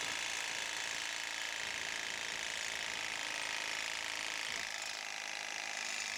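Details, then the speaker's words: Saw cutting a pipe under an LLY Duramax truck during a catalytic converter delete (LB7 mid pipe install): rapid, thin scraping rasp with no change in pitch or bite from load; the blade isn't cutting, owner suspects it is dull or missing teeth. "We're not making any sort of progress. There's no way it's cutting through. No, it's not making any sort of progress. Like these things are supposed to cut through, but you know, I think it's cuz the blades missing teeth. This thing's got to be dull."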